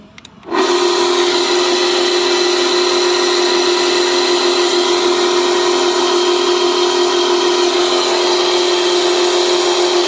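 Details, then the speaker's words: Sliding gate automatic gear motor, released to manual and run again: sharp start into a clean, steady mid-pitch hum that holds constant with no grinding or knocking; running smoothly. "फिर देखो आवाज आ रही है, बिल्कुल मतलब मक्खन चल रहा है।"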